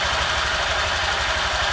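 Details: Honda Vario 150 LED old scooter after fitting a TCI driver power-up on the coil, fuel pump and injector lines: small single-cylinder engine idles evenly with a steady quick putter, no knocks or misses; normal idle.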